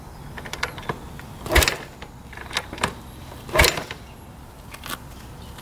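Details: 1985 Honda XL600R single with a dead battery, kicked over: two hard kicks about two seconds apart, each only a mechanical thump and whoosh with no firing. Cranks but won't start.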